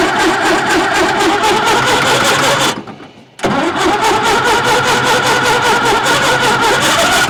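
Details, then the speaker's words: 1950s Caterpillar Traxcavator track loader diesel, long unused, started on 24 volts: cranks and catches, dips briefly, then settles into a steady even idle with clean regular firing; sounds surprisingly good, oil pressure showing, normal start and idle. "wow honestly it sounds pretty good I'm not gonna lie I was not expecting that at all"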